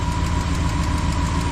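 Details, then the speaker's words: 1973 Triumph Stag with Holley four-barrel conversion, started after a tune-up and new stainless clutch hydraulic line, first start in 2 days: fired right up into a steady, even idle with smooth low rumble, no knocks or misses; normal. "Well, that's not bad. First time I started it in 2 days. Fired right up."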